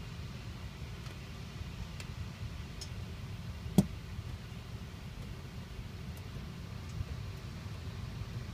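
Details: 2007 Mini Cooper S, engine just shut off after driving: faint ticks then a sharp loud bang; banging lasts 1–3 minutes, longer when hotter (hot weather or drives over 15 minutes), ending in a long bang; owner asks if normal.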